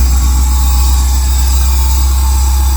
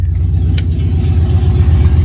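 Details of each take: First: 1999 Chevy Tahoe with LS swap and Holley Terminator X Max, at idle after a second-attempt start; a steady high whistle over a smooth V8 idle from an incorrect throttle body and idle air (IAC) setting, about to be adjusted. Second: 1999 Chevy Tahoe with an LS engine and Holley Terminator X Max, after setting the IAC to zero (was 42, then 98): deep, steady V8 idle burble, the earlier sound gone; normal idle.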